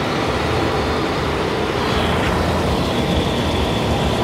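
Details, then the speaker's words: Mercedes-Benz CL600 V12 twin-turbo Active Body Control hydraulic pump near the end of a 420-cycle rodeo air-bleeding test: steady, low engine-bay hum with only a faint pump whir and no gurgling or groaning. Most air seemingly purged; normal operation. "but just judging by the noise coming from the pump I think I think there is no more noise so that means a lot of this air must be out already"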